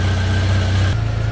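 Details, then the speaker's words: Jeep Wrangler TJ after replacing a part on the back of the throttle body to cure a high idle: steady low idle hum that drops slightly and holds even, no hunting or surging; idle back where it should be, normal. "all right so that's much better I'm going to go ahead and clear the codes and we take her for a little test drive"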